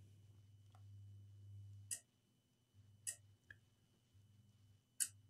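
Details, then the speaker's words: Laptop power supply connected to a dead Asus TUF FX505 gaming laptop: sharp clicks about once a second, hum cutting in and out, as the MOSFET cuts power because the main power rail is shorted. "I'm not sure if you can hear the power supply it's clicking you can hear that you can't see the light of the so basically the clicking comes from the mosfet cutting down the the power because the main power really shorted"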